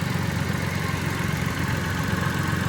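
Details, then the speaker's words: Mitsubishi Mirage push-start automatic, after fuel pump motor replacement and a blown fuse fix for a crank-no-start after sitting about a week: small petrol engine idles steady and smooth, no knocks or misses. "fuel pump Okay napaka smooth"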